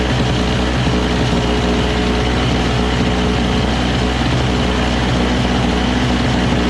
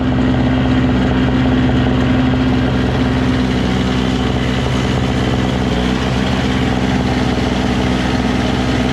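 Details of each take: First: Single-stage two-stroke snow blower running high on full choke with fresh premix: a steady, buzzy note with no load changes; the auger paddles spin without the handle engaged, though the cable is loose. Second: Single-stage two-stroke snow blower: a continuous, even buzz at steady speed with no misses or surging; the auger drive was briefly hung up and now stops when the handle is released and starts when engaged. Normal running.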